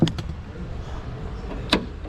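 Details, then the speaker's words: Chevy Malibu after trunk latch replacement: a firm clunk then a crisp click about two seconds later, the new trunk latch releasing and catching cleanly. "all right that seems to work i'm gonna go ahead and lock it back and press this and that seems to work"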